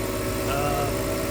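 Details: BMW E46 wagon after repairs including a new boot and hose, test pipes burnt through and no muffler; after a test drive it idles smoothly and evenly with a low hum, no knocks, misses or hunting.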